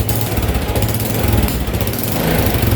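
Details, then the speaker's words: First-generation Honda Supra X 125 throttle blips: raspy, puffing exhaust note rising and falling; reviewer suspects a leaking exhaust, but engine sound still smooth with no odd noises. "Ini kayaknya knalpotnya bocor deh. Tapi untuk suara mesin ya masih tergolong halus, nggak ada bunyi-bunyi aneh ya."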